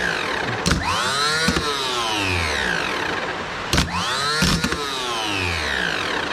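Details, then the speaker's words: 1984 Nissan Diesel CKA50BT truck, RD8 V8 diesel starter on the bench at 24 V, no load, after cleaning seized brushes and the armature and greasing the reduction gear: quick, steady whine and wind-down; normal starter operation. "so it's sing good is is spinning"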